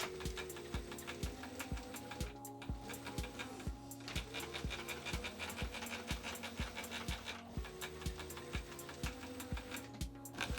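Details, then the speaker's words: openDog robot dog leg actuators driven by brushless motors on ODrive drivers during first motions: rhythmic ticking and whirring about twice a second, with rubbing belt chatter from belts running on misaligned 3D-printed pulleys. Conduit or end stops are possibly also clicking. "So there's a few funny sounds there. The main sound you can hear is the 3D printed pulleys and the belts running on them because they're not quite aligned."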